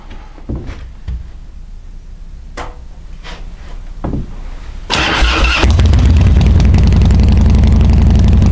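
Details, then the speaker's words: Harley-Davidson Twin Cam Dyna Glide (FXD) with a vacuum petcock, before repair: sputtering catches, then a lumpy cold idle on choke. Spraying the intake raises the revs and pulling the choke kills it, an intake manifold vacuum leak. "When I was spraying it, you could hear the engine coming up, and I'm gonna knock the choke off to see if I could get like a more defined difference, and I didn't even knock the choke halfway off and I killed it."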